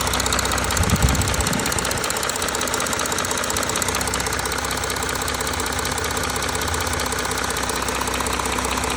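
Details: Audi A4 3.0 TDI (CRTC engine), cold with oil temperature below 60 °C, idling: a hard, steady knock of about 2–3 per second over a busy diesel clatter. The cause is unclear.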